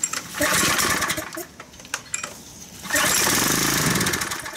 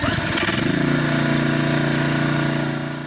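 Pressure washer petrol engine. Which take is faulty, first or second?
first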